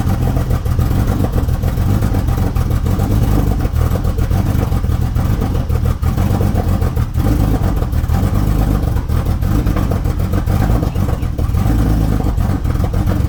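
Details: Porsche 911 (991.1) on a cold start with the check engine light on, after a fill-up of fuel: heavy, lumpy idle with an uneven low thump and no steady rhythm. Idle misfire; cause not confirmed.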